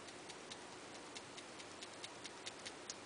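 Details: iPhone 5 (second unit): faint sharp clicks with each tap near the camera, something loose rattling inside; owner suspects the camera lens assembly or lock button; louder than a friend's iPhone, another phone silent; not heard at the bottom.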